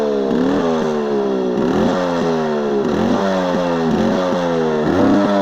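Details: Yamaha RX135 two-stroke after exhaust leak repaired with M-seal: crisp revs in repeated blips, even exhaust note with no puffing or ticking; sealed and healthy.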